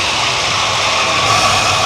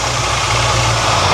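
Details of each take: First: 1978 Ford F100 that sat in a field over a decade: sharp throttle blips to force a suspected sticking carburetor clear. It now picks up cleanly and settles back without coughing; sounds good. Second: 1978 Ford F100 that sat in a field over a decade, at about 78°F, already run an hour earlier: a choke issue and a fast, steady high idle. Owner suspects a vacuum leak; the engine then dies.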